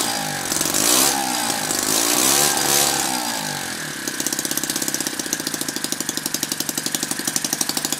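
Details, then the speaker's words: Rebuilt Lynx 15 small engine after refitting fuel pickup tube that had fallen off tank bung, causing carburettor to suck air; catches and settles into quick, even popping beat at steady speed; normal running. "the carburetor was sucking air so we got that fixed up and uh see if we get a reliable start"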